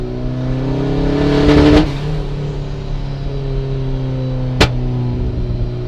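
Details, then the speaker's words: 1994 turbo Miata, misfire since purchase, at half throttle around 4000-6000 rpm: engine pulls steadily then abruptly drops power with a pop, gauge reads lean; plugs, wires, cam sensor swapped without change; sounds like a hard cut under part throttle, cause unknown. "if I try to go back at the half throttle again to this you'll see she'll lean out on the gauge just fall on her face"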